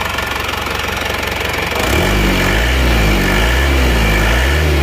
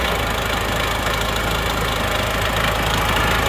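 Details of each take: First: Isuzu Panther diesel, rebuilt after a broken crankshaft, cold, with injection timing fully retarded: a steady, slightly lumpy idle at about 230 beats a minute, no sharp knock and normal exhaust smoke; a fairly smooth diesel idle. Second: Isuzu Panther diesel first started after engine repair: harsh, clattery idle with a hard steady knock. Injection pump set mid-position is over-fuelled because the regulating valve was tapped in too deep; timing too far advanced.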